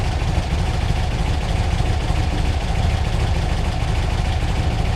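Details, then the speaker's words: VW Beetle (1964/1967) flat-four with newly installed dual EMPI carbs, timing light on: low, steady chuff at about 600–700 rpm idle, smooth with no misses; healthy idle, owner happy with idle speed. "I'm happy with idle speed. Yeah, 600, 700."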